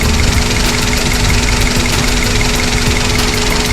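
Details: Daihatsu Sirion with check engine light, rough idle: uneven stumbling beats and shaky low drone suggesting misfire; scanner detected no fault, ECM malfunction suspected, wiring to be checked before replacing parts. Cause not confirmed.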